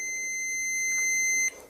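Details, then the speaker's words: Multimeter continuity test on a mobile phone board capacitor: steady high beep for about 1.5 seconds with a reading of zero, showing the capacitor is fully shorted and faulty. "यहां पर स लगा नहीं यह हिल जा रहा है और फिलहाल ये शॉर्ट बीप की आवाज आ रही है"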